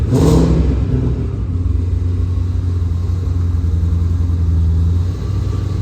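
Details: Customer's Vortex-supercharged Mustang V8, just after an engine oil change (Royal Purple 520) and supercharger oil refill: quick blip, then a deep even rumble settling into a smooth steady run with no knocks or misses. Healthy.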